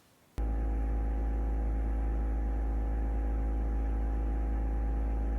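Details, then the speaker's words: Everchill 12V French door fridge from RecPro in an RV: compressor kicks on abruptly into a steady low hum with a few constant tones, noisier than an absorption fridge and similar to a home fridge but quieter; normal running. "That's what it sounds like when it's on. Now, it might sound a little bit louder on video, and it's not really all that bad, but you do notice it."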